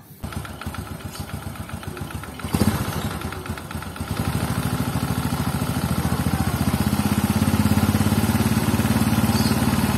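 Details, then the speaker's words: Scooter at idle: irregular tok-tok tick from the clutch side that fades when revved, caused by the clutch shoes moving loosely on their mounting. "ada suara tok tok dari bagian sini ya hal itu dikarenakan adalah cara gojeknya kampas ganda pada dudukannya"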